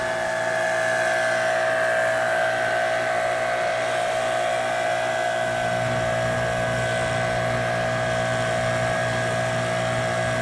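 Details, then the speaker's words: Electric Kärcher pressure washer, 10–20 years old, with intermittent motor noise when pressurized, worsened after hammering during repair: steady hum with thin whine, shifting partway, no water at nozzle, not sealing, running by itself; cause unclear. "not making a seal see the nozzle there's no water this thing is doing something all by itself"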